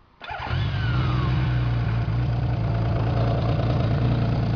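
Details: Honda CBX 1000 six-cylinder with aftermarket air filters and loud exhaust, standing unused a couple of years: starter catches and it settles straight into a steady, even idle with a loud exhaust drone; runs okay but needs a service.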